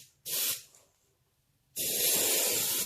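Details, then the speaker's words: Airbrush on an AS-186 compressor, pressure raised from 20 to 25 PSI because paint was coming through too slowly: two clean bursts of steady, even hiss with crisp starts and stops, now spraying smoothly and doing a much better job. "it's doing a much better job now."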